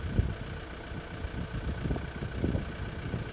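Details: Makita top handle climbing chainsaw after ignition coil replacement, after oiler adjustment: low steady two-stroke idle holding even without stumbling or hunting, healthy; air filter missing.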